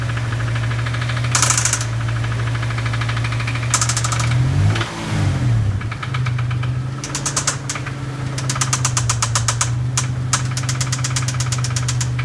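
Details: Dodge Stealth engine at idle: bursts of sharp, fast ticking and a deeper knock that come and go, attributed to a bent valve plus engine knock; not every time; smoking again; oil pressure reported really high.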